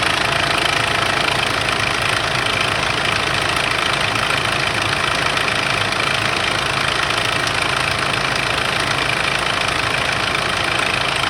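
Steady diesel idle with a constant metallic rattle over the usual clatter that does not die away after the cold start; source unconfirmed.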